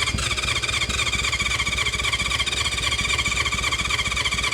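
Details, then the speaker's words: 1976 Honda CB550 four-cylinder motorcycle, sat for years: steady starter churn near four per second with choke and without, throttle sticking, no cylinder catches; cranks, won't start. Compression later found adequate on cylinders one and four. "Ah, nothing. Nothing. Let's pull the spark plug and check compression."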